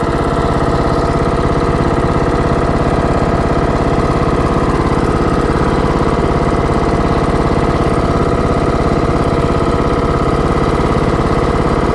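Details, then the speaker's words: TroyBilt riding mower that shuts off after 15-25 minutes: a steady, even thrum with no misses, surging or knocking. Runs smoothly, purring. "As you can hear, it runs like a kitten. Or purrs like a kitten."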